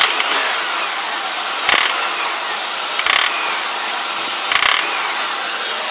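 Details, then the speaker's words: 1999 Pontiac Grand Am 2.4L Quad 4, belt tensioner and tensioner pulley already replaced: constant high squeal at idle with chirps about every 1.5 seconds, worse on first throttle, tensioner visibly jumping; owner suspects the serpentine belt slipping. "coming from you can see the belt tensioner jumping a little bit when it makes that noise"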